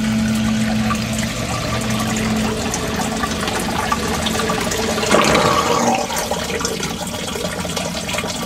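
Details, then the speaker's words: Newly replaced sump pump plugged in: steady hum with rushing, gurgling water as the pit level drops, then shuts off when drained; pump working normally. "as you can hear you hear the pump kick down right away water levels going down"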